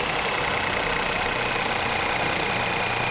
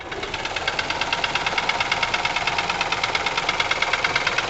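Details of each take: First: Ford Ka 1.0 12V three-cylinder after repair of lifter knocking, misfire and lack of power, microphone close to engine: even, steady idle with no tapping or misfire, runs clean and healthy; normal idle. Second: Ford Ka 1.0 12V three-cylinder, 103,000 on odometer, microphone held close; loud rapid metallic knock over rough idle, misfiring and lacking power; teardown found piston slap and leaking exhaust valves.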